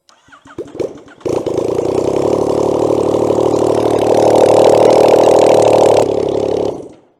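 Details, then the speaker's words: Yamaha MT-09 after engine rebuild (original blew at about 39–40k miles, burnt conrods, suspected oil starvation), start after coolant and oil top-up; starter churn, then loud raw rasp and harsh crackle running with no exhaust fitted due to snapped exhaust stud. "There's no exhaust on there because there's a snapped exhaust stud, so I need to work out how to get that off. Then I can put the exhaust on, so it's probably gonna sound like crap."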